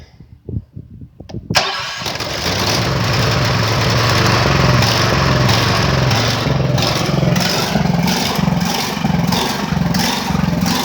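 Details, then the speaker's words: Ridgid generator with Honda GX 390 engine, choke pulled, first start after months unused and some repairs: cranks a few times, catches, settles into a loud busy run with slight uneven pulse; unusual noise, cause unknown. "là, je sais pas pourquoi elle fait ce bruit-là. Mais en tout cas, ça fait des mois qu'elle n'a pas tourné."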